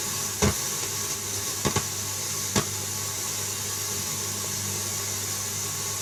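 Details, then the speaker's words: Pioneer radio tuner, crackly tuning control. Constant hiss with sharp pops and crackles while tuning, worse with no signal and at bottom end of band, none at top end; dirty or worn tuning control. "at the top end I noticed there was no crackling at all when I first tested it it's mainly down the bottom end of the band that's particularly bad there"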